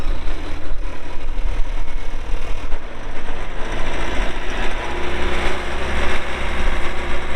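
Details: 2020 Bobcat T590 skid steer loader, 2,220 hours, diesel: steady, even rumble with no knocks, ticks or misses, running smoothly and healthy; normal running.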